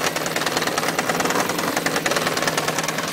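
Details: 1993 Yamaha XJ600 with a fast, fairly steady tapping knock at about three beats a second over the idle, alongside an oil leak; origin of the knock unknown.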